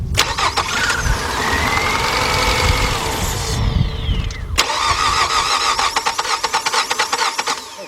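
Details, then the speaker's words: 2003 Nissan Altima after starter replacement: brief crank whir, then the engine catches promptly and settles into a steady idle; the new starter engages cleanly. "all right now let's try it out let's crank it over"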